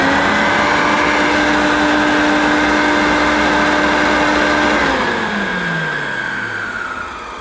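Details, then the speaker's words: Hoover U1222 Turbopower Plus upright vacuum: a steady high squeak rides over the motor hum, then both pitches slide down together at switch-off. Motor bearings sound dry but the motor is otherwise fine; the squeak is likely from the agitator. "i think a lot of that squeaking could possibly be from the uh activator and not the motor the motor doesn't sound bad it does sound how i'd expect it to sound"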